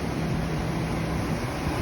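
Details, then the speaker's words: 1998 Chevy C1500 5.7 Vortec that misfired on cylinder 7 (fuel found in an injector connector), after injector spider replacement: steady, smooth V8 idle with no shake. Scan tool shows zero misfires. "it's running like a champ smooth it was shaking vibrating that mess"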